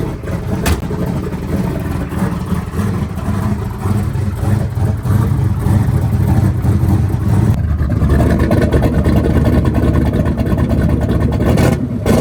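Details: Small-block Ford turbo 383 V8 after new rocker arm install fixing a metal-on-metal tapping, cold start, timing not yet set, slight exhaust leaks: deep steady rumble firming as it warms, no valvetrain tapping; runs clean.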